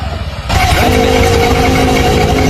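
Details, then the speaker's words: Honda scooter CVT; the engine catches and settles into a busy idle with a rattly, tinny ring from the transmission side, pointing to worn clutch shoes. "Strange noise from CVT. Something is wearing out."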